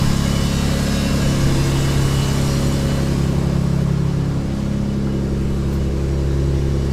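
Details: Subaru SVX after replacing front (driver's side) knock sensor and all 23-year-old vacuum lines, idling, no check engine light: smooth steady low idle with even beat, no knocking or misses; normal idle.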